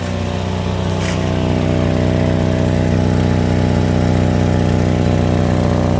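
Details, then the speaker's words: Toyota Kijang LGX EFI at idle: rough, raspy, uneven exhaust note over low rumble; exhaust holed by rust or incompletely welded, a leak that makes the note harsh. "Nah itu tadi suaranya dari knalpot jadi knalpotnya ini sudah bolong atau crop mungkin kalau karena keropos ya atau pernah ngelas Tapi tidak untuk nutup semua jadi ada pori-pori nah jadi suaranya jadi kasar seperti tadi itu"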